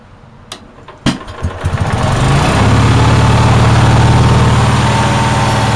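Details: Onan generator on a cold day catches after a few pops and settles into a steady, fast, even drone; outlets read 160–170 volts and the stator about 18 volts, so the owner thinks idle is far too fast and it won't adjust down.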